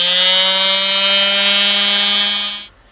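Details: 1968 MGC heater fan motor bench-tested on a battery after teardown and reassembly: steady, even high-pitched motor whine with no scraping or ticking, then a clean cut-off; the motor sounds healthy.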